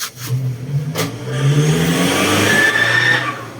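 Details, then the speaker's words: Honda Scoopy i scooter engine starting with sharp clacks then a loose, uneven rattle, caused by an air cover/shroud part loose from three worn bushings; fix is grinding bushings below the plastic and tightening. "เวลาสตาร์ทมันจะสั่นแบบนี้เครื่องยศก็เลยมีเสียงดังนะครับ"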